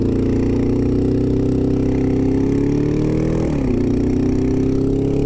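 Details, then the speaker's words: 2002 Honda CBR600 F4i motorcycle: rough, uneven idle with lumpy beat and brief stumble, losing power, sounds like a lawnmower; knocking or misfire suspected, cause unknown. "She's knocking. I blew it up. Oh yeah, she's losing power. Misfiring or knocking or something. Sounds like a fucking lawnmower."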